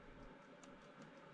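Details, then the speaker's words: 2013 KTM 450 SX-F dirt bike in neutral, kill switch on, starter button pressed: a couple of faint sharp clicks with no cranking; electrical fault. "nothing happened but we could here's a click click it means something on the electrical side is not working properly"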